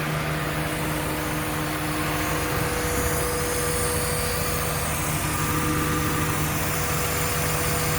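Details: Project car idling after a test drive that followed a coolant leak repair, with new radiators, trans cooler and reroute kit, antifreeze levels good and hoses fine: smooth, even idle with a steady hum and no knocks, ticks or misses; normal.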